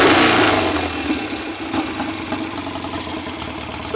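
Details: BSA A65 Hornet twin, engine rebuilt by someone else and thought to need bedding in, after carb, jet and plug work for uneven tickover: crisp throttle blips rising and falling cleanly with no misfire or stumble; pulling strongly.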